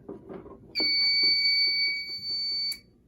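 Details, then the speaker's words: SK2 fire alarm panel with a broken resistor and no batteries, after the BG12 pull station reset. A steady high-pitched buzz of about two seconds follows handling clicks. This is the trouble tone, with the power light out; cause unconfirmed. "Yep, and there are the troubles. This panel loves. Yeah, so the power light's not going."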